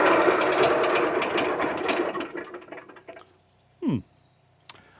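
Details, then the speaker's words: 1989 Trabant 601 S Combi with a 600cc two-stroke, idling after revival. Fast buzzy ring ticking over evenly, no stumbling; sounds healthy, normal idle. "I'm no expert, but I'd say that sounds pretty healthy."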